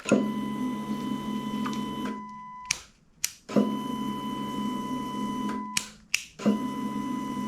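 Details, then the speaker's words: 2007 Honda CBR600RR at key-on after cleaning out dirt to fix inconsistent priming: relay click then a steady whirring pump hum for about two seconds, same each time; fuel pump now primes normally. "That's way better. Easy fix."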